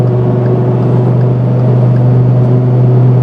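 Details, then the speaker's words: Truck on BFG KM3 mud-terrain tires, driving home on the highway around 85 mph: loud, steady low drone with throbbing vibration and the whole cab shaking, unbearable above 85, a low hum on the street; mud-terrain tire hum, tires hard to balance. "On street driving, you get a low hum that's just annoying. But on the highway, the noise is downright unbearable, especially over 85."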